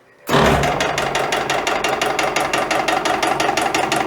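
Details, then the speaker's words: EPKU-1.7 compressor block on test run before repair: sharp metallic knocks once or twice a second on every stroke, attributed to wear, suspected connecting rod small-end bushings; unit also reported throwing oil. "Ну це свідчить про те, що є виробітка. А хто його знає? Шатуни? Тобто втулки шатунів."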